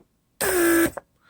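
A short, clean, steady buzz of about half a second that stops crisply, with no grinding or labouring. The locking pump motor is working properly.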